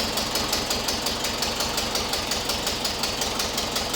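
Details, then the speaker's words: 1976 VW Westfalia Type 2 bus with a replacement used air-cooled engine, at its first start. Fast, even ticking about three per second over a rattly idle while the hydraulic lifters pump up. Lifter tick. "Oh, it sounds really good. It's got to pump up the lifters, so the clicking that you're hearing is from the"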